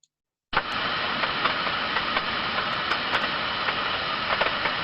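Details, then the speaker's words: Thermodynamic disc steam trap heard through an ultrasonic probe: steady turbulence, then a sharp rise as the trap opens and an abrupt halt as the disc slams shut; normal cycling, which should happen two to ten times per minute. "so as you can hear them you hear a study level of turbulence first of all then all of a sudden a large rise in turbulence as that steam trap opens and then you can also hear very clear abrupt halt so the surveillance as that disk is slammed back down to close the trap up again"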